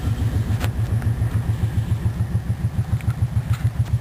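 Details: 2007 Kawasaki Brute Force 750 idling: steady thumping about three pulses a second with occasional sharp clicks on top; source not yet found.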